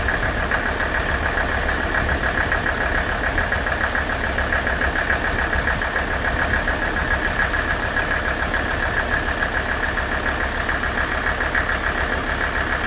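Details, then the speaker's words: Mercedes OM617 diesel, warmed up, idling on Liqui Moly Diesel Purge run through the injection pump; even idle with soft steady clatter, nailing gone, quietest it has been, injectors sound clean and healthy. "this engine sounded absolutely amazing while it was running"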